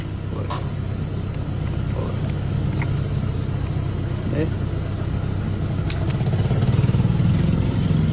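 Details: 150cc motorcycle that wouldn't electric-start due to grounding fault, started by touching the wire to frame ground: small single settles into a steady, even low putter with no misses; starts and runs cleanly now.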